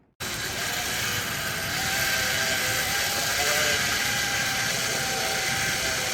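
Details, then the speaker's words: Beach cruiser bicycle with a 125 W battery-powered friction drive on a test ride: a loud steady whirring drone with a high rasp over road rumble. The drive's idler roller is noisy, and the wheel slips, so RPM rises without gaining speed. "As you can tell, it's really loud, so as you're riding around, it does make a lot of chain noise. And I think my wheel's slipping a bit too, because I can gun it, you can hear it pick up RPM, but the bike isn't picking up much speed, and then it'll catch and start taking off again."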